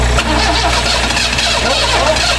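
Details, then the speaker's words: 1974 Vauxhall Magnum, unstarted for 37 years, on jump leads with fuel squirted into carburettor: engine catches and runs rough and uneven for a couple of seconds; runs briefly on sprayed fuel only. "Hey, she runs. Look at that fuel."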